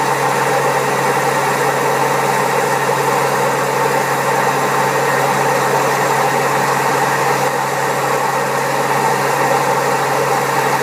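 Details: Old Servis Caress 1300 A washing machine, also with a creaky pump, spinning at 1300 rpm: steady loud roar with a constant hum and rough rumble; very bad drum bearings.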